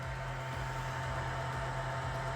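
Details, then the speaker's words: AAXA P7+ portable projector in boost brightness mode playing Netflix: steady loud airy whoosh with low hum and faint higher whine from the cooling fan running hard; noticeably loud, also loud on standard mode. "that's not quiet now if you're watching you know a rockus movie with the boys or the girls you won't care but if you're trying to watch something that's intense uh you're going to notice that fan"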